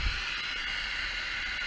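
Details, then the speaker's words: Honda CB650 café racer engine, cold leak-down test: steady loud air hiss pouring from the crankcase on cylinder 4 at over 70-75% leakage (number 1 about 15%); rings stuffed, piston ring blow-by making it smoke. "what's that, over 70, 75. You hear it coming out the crankcase, so the rings are stuffed on number 4."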